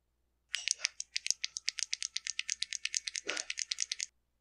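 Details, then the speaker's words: Husqvarna 122HD45 hedge trimmer that bogs and dies, original carburetor disassembled: metering diaphragm flexed by hand gives sharp crinkling crackles about eight per second; stiff diaphragm can't move the metering lever, starving it of fuel. "thing yeah that's a stiff one so if that metering diaphragm can't move and it can't push on the metering lever and open the needle and let fuel in and it's going to Star for fuel"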